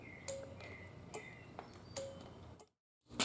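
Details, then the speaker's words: Yamaha Virago after parts-bike rebuild, key on in neutral, microphone close to the relay: crisp single clicks about once a second against a quiet background as each safety switch is operated; safety relay clicking normally. "so we'll show what each of the safety uh switches does and then you'll hear that relay click each time"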